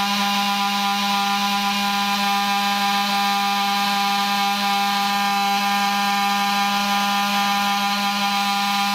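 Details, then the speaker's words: Bus won't start. A steady, unbroken flat-pitch buzz with no engine turning. It's the interlock warning meaning the rear emergency door is locked; the fix is to fully disengage the slide lock. "the vehicle will not start it usually means the rear emergency door is locked fully disengage the slide lock on the rear emergency door"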